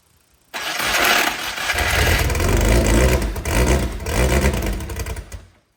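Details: Brabham BT21 historic one-litre F3 engine, first fire-up after rebuild with new crank, balanced conrods and new sump, oil primed, cold: catches quickly, crisp even bark with blips, no knocking; oil pressure looks good. Normal start and run.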